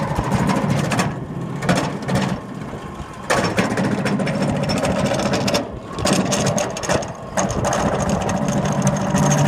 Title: loose belts or bad bearings ???????